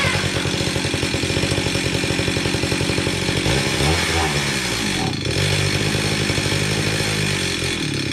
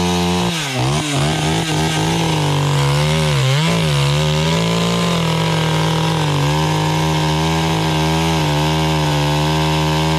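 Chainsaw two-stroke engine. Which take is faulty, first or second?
first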